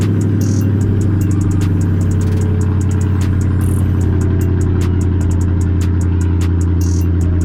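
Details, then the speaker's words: Crown Vic V8 cold start after coming back from the shop, fixed: deep steady idle without stumbles or knocks under background music; sounds healthy. "I gotta go make a run, so I figured it'd be perfect time for us to get a cold start on the Vic."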